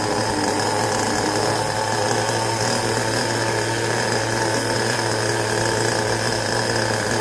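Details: Carson Storm Racer Pro .15 two-stroke nitro engine in a 1/10 buggy, first start after sitting gummed up 10+ years, now rebuilt and bench-tuned, on 20% nitro fuel: a steady, high buzzing whine with no misses or surging. Running cleanly.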